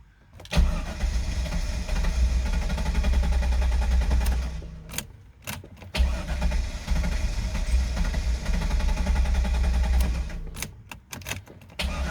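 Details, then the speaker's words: 2000 Chevrolet Corvette C5, parked for many years, first start attempt: long cranking catches into a brief rumble that dies within a second; fires but won't keep running, owner suspects low fuel pressure, plans to cycle fuel pump. "i'm not quite sure but it's running for a second and then it's kind of cutting off so let's let's do that"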